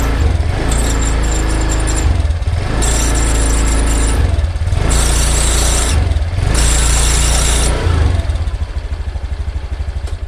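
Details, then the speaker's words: 2020 Honda Beat scooter with imitation, older Beat FI CVT parts fitted: throttle blips bring a harsh metallic rattle from the CVT that fades on release; dry bearings in the rear CVT suspected as one cause. "Honda Beat new 2020 dengan permasalahan ini sifatnya kasar jadi shuvit bagian segitunya tuh berisik saat mau angkatan pertama angkatan itu bunyi"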